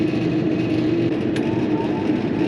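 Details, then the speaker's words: Coleman Presidential II furnace in a mobile home, after cleaning out a seized motor: steady even blower whoosh with faint constant hum, no rattle or squeal; kicks on with thermostat, running normally after repair. "Okay, that little motor back there, it was all seized up and needed cleaned out, but it's working good now. I just tested it, turned the thermostat off, and she shut down, and then it kicked back on when I turned the thermostat back up."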